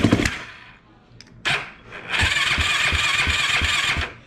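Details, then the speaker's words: Yamaha YFZ450 single-cylinder, first start after a top-end rebuild (it had no compression before) with the carburetor being adjusted: it revs cleanly with even firing and no knock; sounds healthy. "That's the first start. Sounds good. Doesn't sound like it's uh knocking or anything. Sounds pretty good."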